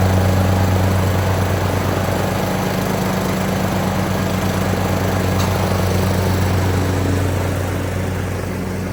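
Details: Craftsman YT3000 riding mower with swapped donor engine, after oil change, blades engaged: steady even low thrum with no misses, surging or knocks, holding speed. Normal running.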